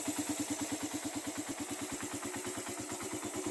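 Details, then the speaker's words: Raider carbureted motorcycle, freshly started on a cold morning, carb tuned for moderate fuel consumption: even, steady putt at about three beats a second with no stumble, holding idle cleanly without stalling; the owner judges engine and carb in good condition. "so ayan ang ano ah hindi naman siya namamatay kapag bagong andar sa umaga"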